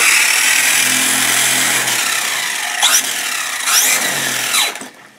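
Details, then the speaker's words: Maverick Strada MT RC truck on an 11.1V 3S pack, after rebuilding and relubricating its front diff (previously sticky, lazy and stopping): high smooth whine rising and falling with throttle blips, no binding. Drivetrain now spins freely. "so there you go see how you can hear that freely now before it would just go and stop that's something like that"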